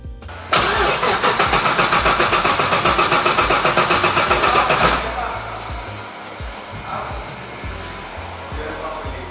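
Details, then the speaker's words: Restored classic car at Classic Speed that should already run but hasn't started, cranked after scanning and writing the ECU with HP Tuners: steady starter cranking for about four seconds with no firing. An intake air temperature/MAF sensor problem was then flagged. "It's supposed to start already, but they haven't gotten it to run."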